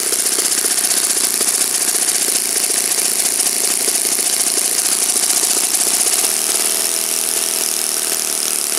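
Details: Saito FA-56 four-stroke glow engine, moderate-time, first run after teardown, cleaning and bearing replacement, 12x6 prop, OS F plug, Omega 5% fuel, tuning run: steady, even high-pitched buzz at constant speed, no misses or surging; clean, healthy normal running.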